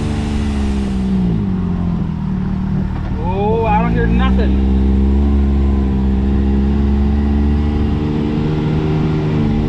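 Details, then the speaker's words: X3 side-by-side under way after carrier bearing replacement and front prop shaft reinstall (previously squeaked, worse at speed); steady engine drone with brief rev change, no squeak or chirp, driveline quiet and healthy, fixed. "quiet as she was brand new man i'm pretty excited that this worked out"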